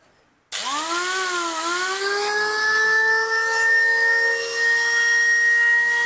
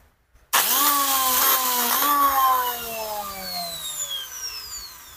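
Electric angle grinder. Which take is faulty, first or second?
second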